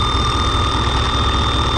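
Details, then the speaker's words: Vehicle with a crank-no-start, fuel pump running off a hot-wired lead, injectors pulsing: steady, even low rumble at idle with no stumbles or misfire; engine running smoothly. No-fuel fault later traced to the fuel pump relay. "know if you guys see that fuel coming out of the injectors it's running pretty good it's not really misfiring at all so we're good there"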